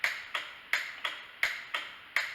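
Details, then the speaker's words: 2002 Honda Foreman Rubicon 500 ATV, well worn, key on and starter pressed: sharp dry clicks about three per second with no cranking, the solenoid closing but starter motor not turning; failed starter motor. "you can hear is the solenoid closing."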